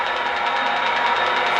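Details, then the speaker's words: Lionel TMCC 1 locomotive programmed with wrong auxiliary code: steady fast ticking about eight clicks a second over even hum, as RailSounds audio board receives inverted serial data (ground looping); serial signal lost. "ticking sound exists because the Rail Sounds audio board is no longer receiving uninverted serial data, instead it's receiving inverted serial data."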